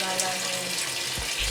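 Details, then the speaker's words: LG washing machine after repairing a broken wire to the water inlet valve that stopped water entering the tub: steady, even hiss of water filling without sputtering; inlet valve working normally after repair. "teman-teman berhasil Airnya masuk terus dan sedikit terdengar ucapan hari Ibu tuh"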